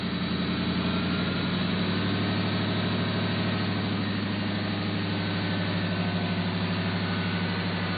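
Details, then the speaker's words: Factory Five XTF after refitting an exhaust pipe that had been slipped in too far and was touching; steady, even idle with deep exhaust note and no rattle. "used to Rattle right in here remember it's pulling out I even mentioned in one of the other videos it was rattling um it's not doing that now thankfully"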